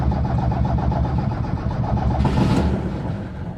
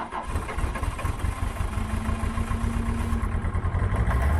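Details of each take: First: 1978 Lada Niva cold start with choke pulled and accelerator pumped: engine catches and settles straight into a steady, even idle with no missing; runs nicely, a normal cold start. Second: Citroen C25 4x4 diesel on cold start, very smoky: it catches on one cylinder with lumpy chugging about four beats a second, the others slowly joining. Only one glow plug has been replaced; the other three are suspected.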